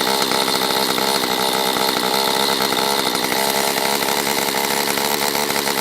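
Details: Stihl MS194T chainsaw after fuel-issue no-start fix, carb richened on low and high within limiters: high steady buzz at even speed, no stumbling or surging, warmed up and clean; normal running.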